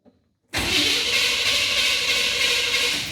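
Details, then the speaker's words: 1987 Chevy C10, 305 TBI, after a throttle body rebuild that cleared rust and grit from the injector bowls, plus a tune-up and distributor swap: starts at once and holds a fast idle; owner suspects TPS set too high. "Acts like the TBS is too high. Well, sounds pretty good. Sitting there idling around, as you can hear."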